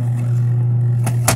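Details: Portable twin-tub 5 kg washer, capacitor 35+4 µF, spinning after the repair: a steady low motor hum holds even throughout, with a couple of sharp clicks. Owner says the spinner is not pulling strongly. Spin motor running.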